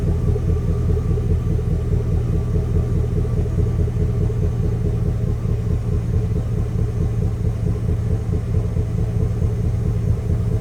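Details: Chevrolet Express/GMC Savana V8 full-size work van, high mileage: deep, uneven idle with a lumpy, stumbling beat about twice a second, one cylinder dead; engine misfire.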